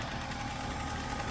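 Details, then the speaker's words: 1996 BMW 328is E36 idling after the idle air control valve was cleaned and the throttle cable tightened to open the throttle plate slightly. An open air filter replaces the stock airbox. Steady, even low rumble with no hunting or stumbling; normal idle. "she's idling perfect."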